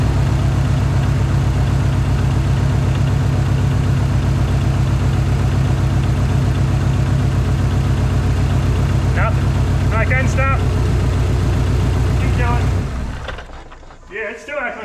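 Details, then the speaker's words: Cold Dodge Neon SRT-4 with code P0304, cylinder 4 no spark: lumpy, uneven idle with a regular stumble as one cylinder drops out, engine cutting off near the end; misfire, cause not yet confirmed. "that stone is just not firing well"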